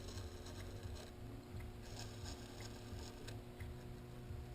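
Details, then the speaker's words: Rotax 600cc 500SS engine bearing, seal removed and turned by hand: light uneven ticking and rattling is only the ball cage moving in its normal slight play, not a worn bearing. "Ce qu'on entend, là, c'est la cage. Parce que la cage est là juste pour retenir les billes, faut pas qu'ils se ramassent toutes à la même place, là. Sauf qu'il y a un petit lousse dans la cage, là, puis c'est ça qu'on entend."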